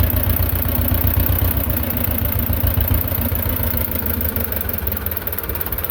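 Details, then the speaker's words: Belarus 250 tractor, two-cylinder air-cooled diesel that sat for years, at 3/4 throttle after ether: low clatter that swells and sags, nearly dying then recovering, as too little fuel gets through; owner suspects the injection pump. "well now you see what I'm talking about it's not vent lot fuel's getting down it wants to just run and then kind of surge almost die then it'll come back"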